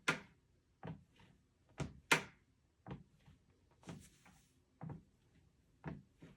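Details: Two-week-old Lifespan TR1200B treadmill: hollow clunks about once a second as body weight shifts, as if the deck has a soft spot.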